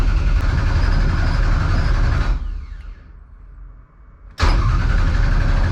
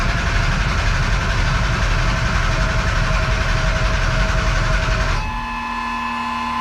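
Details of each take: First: 1200hp Ford Taurus race car with 75 psi fuel pressure, cranked to build oil pressure before a possible start; crank trigger trouble earlier. Even starter chug of about four beats a second, a pause, then more cranking. Turns over cleanly without firing; oil pressure comes up. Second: 1200hp Taurus race engine, open header, with a damaged crank trigger. The starter grinds it over at a steady beat of about four a second and it never catches. No-start, so it needs a new crank sensor.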